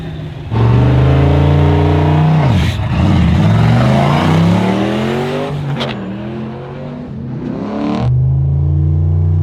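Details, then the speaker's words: Manual HQ drag car launching at the Hardass 1000 with stiffened rear shocks: hard launch where revs sag and pull goes flat briefly before recovering through the gears; bog off the line, more launch RPM suggested, 12.17 personal best run. "still bogg maybe more RPM but that was that just shows you there's more in it though"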